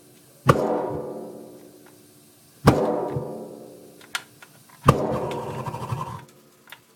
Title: Heater popping noise